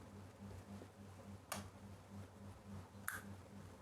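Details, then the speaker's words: Coffee vending machine relay switching an AC solenoid that replaces a DC one, fed from a 24 V SMPS with AC supply applied: two crisp clicks about 1.5 s apart over a faint hum. The relay circuit works correctly. "ये cut के आवाज आ रही है। इसका मतलब है कि आपका जो रिले है रिले जो सर्किट है पूरा सही तरह से काम कर रहा है।"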